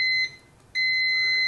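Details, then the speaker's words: Uni-T UT161E multimeter diode test on a shorted diode: high steady beep cuts out briefly, then sounds continuously while the light turns red; shorted diode warning beep. "So if the diode is shorted, it's going to turn red and beep at you."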